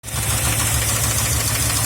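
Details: 1972 Ford F100 302 V8 idling with a cut-open valve cover while adjusting rockers, one rocker appearing to get less oil: light, quick top-end ticking over a hissy, splashy background; valve train ticking, cause suspected, not confirmed.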